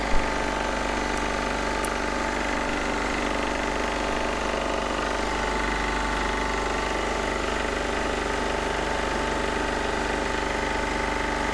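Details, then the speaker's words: Onan MEP-016B 3 kW military single-cylinder diesel generator, revived, started outdoors cold to warm up: steady, even chug, no knocks, misses or hunting, clean healthy idle. "all right rolled it outside we're just gonna start it up real quick and let it run and warm up so see how quick it starts good"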